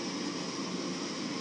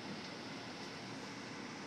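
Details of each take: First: FrigidAire gas hot air furnace: steady inducer fan whoosh with no igniter click or burner light-off; gas valve opens briefly then shuts as flame not detected, no voltage from the Molex. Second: Frigidaire hot air gas furnace with a no-ignition fault, after the high limit tripped and the inducer cycled: smooth steady blower airflow hum with no rattles, scraping or speed wobble; blower running normally.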